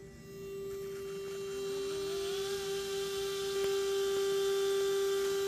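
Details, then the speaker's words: Mikron TH-5104 thermal imaging camera (about 1996) at power-on while detector cools: horizontal X-axis scan mirror hums, Y mirror not yet moving; steady pure mid-range hum with faint rising tone behind; normal. "so I will turn it on here and as you can hear it is humming and specifically it is the small mirror right here this XY mirror that is humming the upper one"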